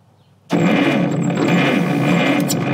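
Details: Cleveland Model 75 bucket wheel trencher with Buda HP217 engine, parked since 1977: starter turns it steadily with scattered uneven firing pops, won't run; ignition timing suspected, being adjusted; cranking, firing irregularly.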